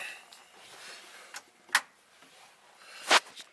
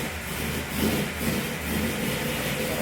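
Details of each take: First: Carbureted Tempest with no choke, totally cold after sitting all winter since November: a few scattered clicks, then it fires at once and holds a steady idle. It runs lean, so it needs the accelerator pump until it smooths out. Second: Pontiac Tempest started totally cold after sitting since November, no choke, running lean so the owner blips the accelerator pump: low, uneven idle with a wavering beat and surging level as the throttle is blipped; cold rough idle.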